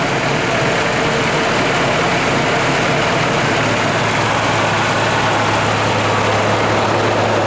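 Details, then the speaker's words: 1998 Ford Ranger after replacing a fuel injector to fix a rough idle, heard at the exhaust pipe: steady, even exhaust drone at idle, no stumbles, misses or hunting; owner believes the injector fixed it. "I'll back to the exhaust pipe and take a listen. Sounds pretty good there. I believe the fuel injector fixed it."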